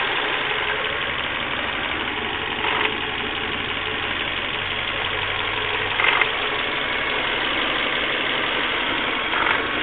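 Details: Volvo V40 1.6, engine warmed up by driving, idling: an even, busy mechanical clatter with a few brief rises. Abnormal engine noise when warm, cause unclear.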